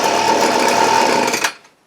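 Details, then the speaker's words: Hitachi two-stroke leaf blower with a Walbro WYC carburetor and no mixture adjustments, hard to start: it runs with the choke on, then buzzes, fades and dies as soon as the choke is opened, as if starving for fuel. The owner suspects the carburetor needs rebuilding. "soon as I take the choke off, it'll die. Now I could pull on this forever and it'll do the same thing. It's like it's starving for fuel."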